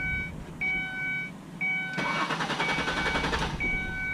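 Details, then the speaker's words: 2003 Ford Escape with starting issues: warning chimes, then about a second and a half of steady, rapid starter cranking that never catches. Diagnosis led to fuel pump replacement. "Alright, it's 2003 Ford Escape. Having starting issues. I come up to the vehicle and this is what we get."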